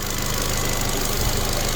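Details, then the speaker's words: Ford Fiesta Mk7.5 small petrol four idling, raised for an oil change: steady, even hum with no irregular knocks or misses; runs sweet and healthy. "sounds a nice sweet little engine to be fair"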